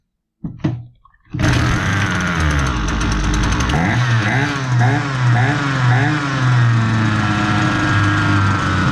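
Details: Husqvarna 326LD string trimmer, complaint of low power, after fixing a very stiff carburetor metering diaphragm, running with no attachment so idle sounds fast: fires up and holds a fast steady buzz with slight wavering rev; running clean.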